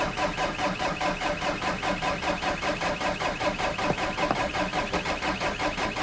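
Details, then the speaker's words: 2003 VW Jetta Wagon 1.9 TDI ALH, 270,000+ miles, timing advanced about 3°, EGR and cat delete, stage 2 tune, cold start at about 1.5°F without block heater: even diesel clatter about 2.5 pulses a second; healthy cold idle. "There she goes. I advanced the timing a little bit, so it started a bit easier this time than the last time. I'm Sounds like a diesel, that's for sure."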